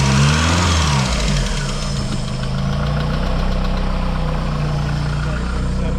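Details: Mk2 Vauxhall Cavalier, heavily modified with turbocharged C20LET engine, running after a donor V-belt alternator was fitted to replace the dead one; steady even low idle with light throttle blips, no knocks or misses, settles nicely, charging 13.6–13.7 V.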